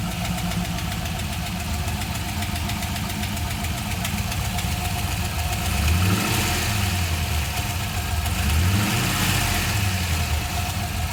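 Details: GM LS1 V8 at steady idle with a light clacking tick riding on top, roughly keeping time with the engine; engine ticking at idle, source not pinned down.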